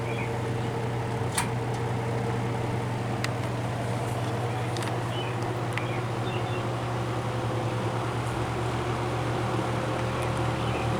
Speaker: these old box fans they always give off that distinct low frequency sound to them I can come in a room with my eyes closed and know that yep that's the sound of an old box fan running